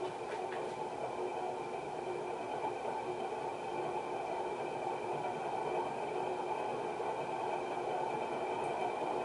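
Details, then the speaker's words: 1991 HRS L-356 industrial ceiling fan at medium-high: loud rushing roar with gritty rumble; bearings had been rusted shut, fan presumably from an abandoned building. "This fan presumably came out of an abandoned building because the bearings were locked up. They were rusted shut. So when I turn it on, it's going to be pretty loud."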